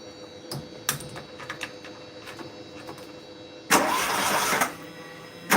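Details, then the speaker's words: Mk1 VW Golf, ignition on, weak-looking spark: scattered clicks then about a second of rough cranking that stops without catching; engine turns over and sounds like it's trying to start but won't fire. Cause unconfirmed. "It sounds like that's trying to start then to be fair. See if it start. It sound like that was trying to start then."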